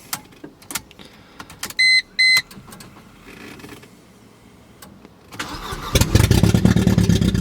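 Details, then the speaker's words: Budget Mercedes-Benz four-cylinder started after ground checks and refuelling to just over half a tank: the engine cranks and catches, then runs with an uneven, stumbling beat, not firing on all four; cause unknown, rewiring an ECU connector is suggested. "do you like that sounded like four almost for a second but definitely not poor right now"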